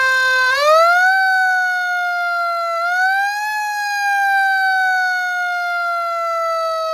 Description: Returning a 2019 Q siren back in service on a 2020 pumper. This Q now has a late 80's chopper and clutch installed.